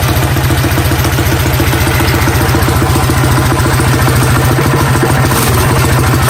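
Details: Coleman CT100U mini bike with Predator 212 Hemi single-cylinder, first start after fitting 18 lb valve springs, fresh oil change and new gas tank: quick, steady, even thumping beat, unbroken throughout; small engine running smoothly.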